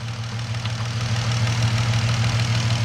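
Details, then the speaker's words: 2013–14 Dodge Charger V6 with aftermarket exhaust and check engine light idling with a heavy, slightly uneven hum and light ticking; ticking with misfire, engine previously opened by another shop. "Now, what I'm gonna do, I hear a tick, guys. It is ticking."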